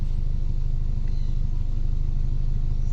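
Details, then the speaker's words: Mitsubishi E-Car 4G92 after repair of fuel, idle and airflow for poor acceleration, unstable idle and rpm drop with A/C on: even, low, steady idle pulsing about three to four beats a second, no hunting; idle stable. "โอเคนะครับนี่รอบเดินเบานิ่งเลยนะครับ"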